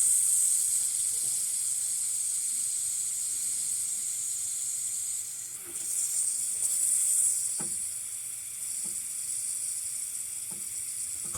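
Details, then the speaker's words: Baseboard heating radiator bled after a new heating system install, bleeder valve opened counterclockwise with a flathead screwdriver: a steady soft hiss of trapped air with faint spitting and water trickles, until the air stops and only drips come out. "air is coming out of here man"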